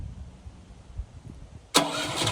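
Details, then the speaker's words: Westinghouse WGen7500DF dual-fuel portable generator running on propane, first use hooked to the house: a quiet hum, then the engine fires in under two seconds on push-button start and settles straight into a steady, even run; clean start. "All right, guys, another neat feature of this generator is it's a push button start. So we can turn it on"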